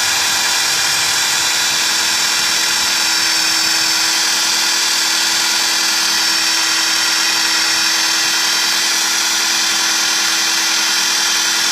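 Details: Nissan Tiida at startup: harsh, high, gritty whine like a grinder sharpening a knife from the accessory belt and pulley area, louder when the accelerator is pressed; grinding noise from engine front, pulleys not the cause per title, source unconfirmed.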